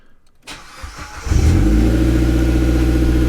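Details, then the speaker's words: Neglected Mitsubishi Evo X, start after new timing chain and tensioner guide install: quick crank, catches cleanly in about a second, settles to steady even idle with no rattle; normal start, sounds really good after warm-up. "all right so I let the engine warm up for a little bit everything sounds really good"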